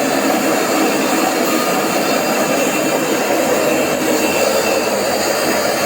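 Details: AEG Öko Lavamat 4100 washing machine spin test stepping through 800, 900 and 1000 rpm: loud, steady jet-engine-like roar as the drum winds up toward full spin; worn drum bearings.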